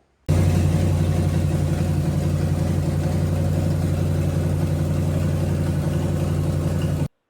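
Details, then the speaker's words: 1990 Chevy 454 SS truck, rebuilt big-block V8, first start after an ignition fix (it had been backfiring flame out of the carburetor): deep, steady, even idle burble with no knocks or misses; running normally. "So, in good news, the truck was running and we had everything going together."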